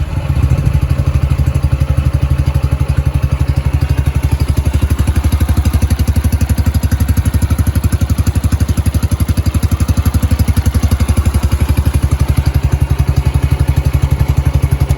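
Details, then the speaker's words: Yamaha YBR 125 single-cylinder started cold after a replacement secondhand headlight was fitted; steady, regular thumps with no knocks, ticks or misfires until switch-off; running fine. "so as you're saying the bike is running spot on I'm really happy with that"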